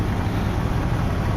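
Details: Jeep ZJ 4.0L inline six after repair of the leaking oil filter adapter: smooth, even low rumble with no misses, knocks or ticks, a healthy steady idle.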